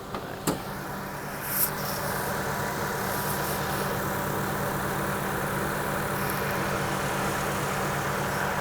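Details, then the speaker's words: 2004 Acura MDX V6 with 200k miles, hood open: idle is smooth, quiet and even with a steady low hum, no ticks or knocks; normal idle. "Engine sounds good. Good, quiet."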